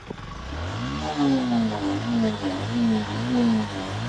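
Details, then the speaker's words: Motorcycle, about 6,700 km: starts and revs in smooth rising and falling sweeps without clatter or knocking; engine sound is healthy. "দেখেন ভাই এই যে ইঞ্জিনের আওয়াজটা করছি যেই আওয়াজটা এই আওয়াজটা একদম পারফেক্ট আছে"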